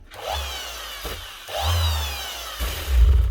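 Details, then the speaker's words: Makita BO6030 Velcro sander (2021), customer says it slows down: whine rises and sags instead of holding steady; bearings seem fine, suspected armature, worn brushes or speed controller, odd non-motor smell, not yet confirmed. "If there's not bearings, it could also be the armature. Or maybe brushes worn out. Or it could be a speed control. She's gone up and down a little bit there."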